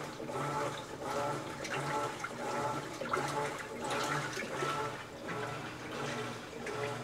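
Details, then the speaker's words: Large Maytag top-loading washer on its test run after a repair for no agitation: water sloshes steadily at about 85 strokes a minute, even and unforced, so the agitator now works normally through the wash cycle. "you hear that I think that's the sound of success that sounds like it's working let's Let it go through all the cycles and we'll just see"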